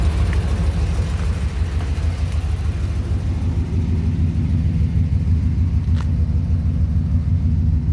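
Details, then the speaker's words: 2003 Ram 2500 quad cab long bed after installing a Flowmaster FlowFX cat-back to fix a leak behind the catalytic converter: quiet, mild deep even idle rumble, no more ticking or fumes; normal exhaust idle. "firing up new exhaust yeah it's quiet it's mild at idle but best of all no more ticking stinky fumes coming out of"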